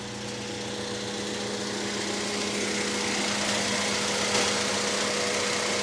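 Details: Honda LS B18B1 engine making a light, fairly even ticking about four per second over a hissy idle, rising with revs; top-end tick, source unconfirmed, owner fears a rod.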